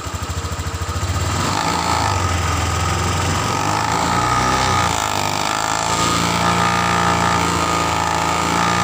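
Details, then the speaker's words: Honda Vario 150 ESP scooter revving from a lumpy idle: silent at low rpm, but a fast rattling krotok-tok buzz appears at high rpm from a loose cover near the rear, which stops when held by hand. "Untuk suaranya perhatikan bro, ketika dalam RPM rendah suara tidak terdengar, tapi ketika RPM tinggi ada suara krotok-tok seperti itu."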